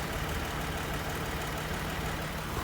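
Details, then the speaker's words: Toyota Highlander 2GR-FE petrol V6 after overhaul for a cold piston knock, idling in about −40 °C frost, perfectly smooth and quiet with no knock from the rear, only a faint injector tick. "Мотор поет. Работает идеально ровно, идеально тихо. Ничего не стучит, не гремит."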